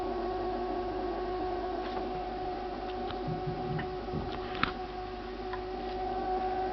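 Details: Refrigerator emitting a steady, thin, siren-like whine with faint ticks and fan hiss, lasting about two minutes; owner considers it abnormal, cause unclear; the ventilation fan starts up afterward.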